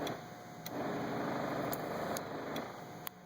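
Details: Methanol injection pump powered with a Power Probe while the boost control solenoid wire is grounded. A steady electric hum with a light buzzy whirr, no straining or rattling. Methanol flow is confirmed and the flow sensor gives a good pulse width on the oscilloscope; normal.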